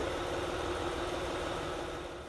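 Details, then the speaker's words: 2007 Honda Odyssey Touring 3.5 at steady idle, heard through a noise-locating tool on the timing belt tensioner: whirring, slightly rough hum, loudest there. Damaged tensioner confirmed; tensioner and timing belt replaced. "lo estamos poniendo en el sensor en este lector de la banda de distribución ahí es donde escuchamos la mayor parte del ruido"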